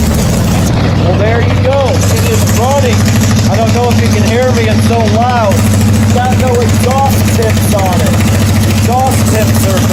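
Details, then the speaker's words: 1981 Yamaha XS850 Special with freshly rebuilt carburetors, cold start on full choke: loud, raw, deep rumble with uneven firing, running open without exhaust tips, not holding idle, possibly because it's too cold. Loud exhaust, rough cold running. "well it's starting up but it's not idling maybe it's just too cold"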